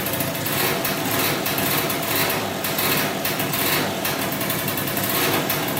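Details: 2003 Polaris Sportsman 90cc two-stroke ATV, first start after new piston, cylinder and oil pump, on about 40:1 premix for break-in, smoking a lot. High-pitched idle holds steady with a light rasp on top; normal two-stroke idle.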